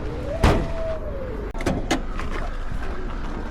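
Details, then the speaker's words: Vehicle idling on a trail: thin whirring tone rising and falling over the engine's steady hum, no leaks seen; whirring noise of unknown cause. "juste le son, ce son tourbillonnant, là, tu entends que cela ressemble à un animal qui fait tourner le moteur."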